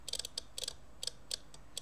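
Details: 1971 Soviet SB-1M/50 mechanical impulse counter being stepped toward 100 with 12 V impulses, one needle step per impulse. Quick bursts of light, crisp mechanical ticks, clean and even; normal counting operation.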